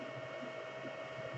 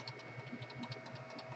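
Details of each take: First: Anycubic Chiron printing, TMC2208 in SpreadCycle driving the single 1.8 A Y motor of the heavy 410×430 mm bed: steady fan hum with faint constant tone, no motor or driver squeals; faint beeps come from the extruder, which has no TMC2208. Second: Anycubic Chiron 3D printer, Z axis with repositioned bearing and better cap and support: soft rhythmic stepper buzz with faint regular knocking, quieter than usual, but some Z wobble remains, less obnoxious than before.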